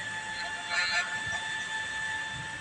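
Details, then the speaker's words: BEWON inverter on 12.5 V input, display reading 240 V: a thin, steady high-pitched squeal from inside that persists with the fan unplugged. The customer reported the fan stuck running and poor output; cause not confirmed. "ะไม่ใช่นะแต่มีเสียงร้องมันมีเสียงร้องออกแอ้ๆมันมาจากพัดลมึเปล่า"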